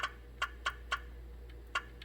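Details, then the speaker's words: 2016 GM truck 5.3 V8, bank 2 lifters replaced, number 6 exhaust lifter collapsed again, key on engine off, gray control wire pin 2 grounded by jumper: sharp crisp clicks every quarter to half second; valve lifter oil manifold solenoid activating normally. "you can hear the valve lifter oil manifold solenoid activates"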